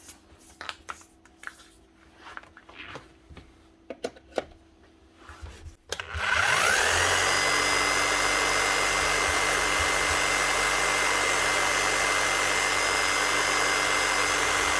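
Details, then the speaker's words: Bosch rotary hammer, about 10 years old, after fitting new brushes (1617014144) and blowing out dust: motor spins up to a smooth even whirr with no more hunting; service light off. "spot on that runs a treat no more hunting right we know she's running now"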